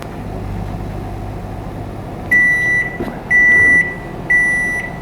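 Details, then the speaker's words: Microwave repaired after a fire, new capacitor fitted, 5-second test run: low, even hum for about two seconds, then three beeps as the cycle ends; no fire, works normally. "at least no fire everything seems to have worked"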